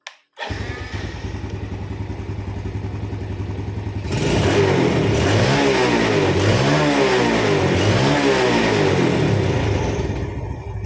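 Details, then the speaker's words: Yamaha Vega ZR carburetor motorcycle after fixing a stuck carb slide (heat-deformed, sanded smooth), first mistaken for a broken throttle cable: single-cylinder idles evenly, revs up and drops back cleanly, throttle returns crisply; healthy. "Dia langsung balik sendiri ya. Oke, sudah selesai untuk perbaikan kabel gas dari motor Vega ZR ini, Kang Bro."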